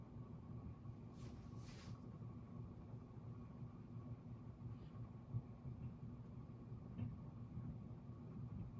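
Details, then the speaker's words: SMC DC42 flush-mount ceiling fan on medium: steady low rumble with a faint, constant high whine from bearing noise; the motor wobbles slightly. "Okay, I'll go up to medium. As you can see, you can hear the bearing noise."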